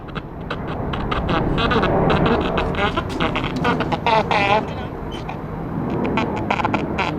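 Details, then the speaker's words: 1941 Airline tube radio powered up for the first time without an isolation transformer or variac, with a dirty tuning condenser. The sound is weak, harsh, choppy, garbled and distorted; the cause is suspected but not confirmed. "very garbled distorted audio and i bet i know"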